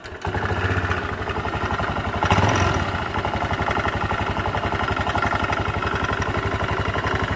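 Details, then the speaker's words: Honda Beat LED scooter, rough idle with quick regular knocking tracking engine speed from the CVT; worn, loose variator roller housing with sticking roller plate, checked by running without the roller housing. "suaranya seperti ini ada suara Hatong seperti semacam ketukan"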